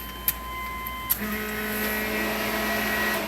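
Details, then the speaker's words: 1993 Chevy S10 with 5.3 LS V8 swap, key-on: two relay clicks then steady electric hum with fan whir building; fuel pump and fan relays priming normally under ECM control, just like normal fuel injection. "did you hear the fuel pump and the fan cycle there? You know, just like a normal fuel injected."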